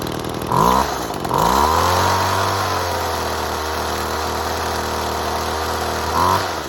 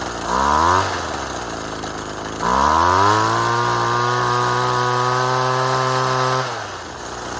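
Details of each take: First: Two-stroke saw running 6-month-old unleaded 91 mixed 50:1, quarter tank, started with choke. After two throttle blips it settles into a smooth, even idle and revs cleanly with much less smoke and better acceleration. Normal idle. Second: Saw started on six-month-old stale fuel: two rough blips of revs that sag, then an unsteady, lumpy idle with heavy smoke. The old fuel combusts poorly, so it starts but runs badly.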